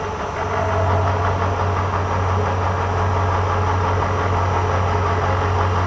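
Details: Cincinnati 205 mill, spindle showing 40 rpm, light cut under power feed after fixing hesitating feeds: steady low even hum, no grinding or chatter; feed working properly.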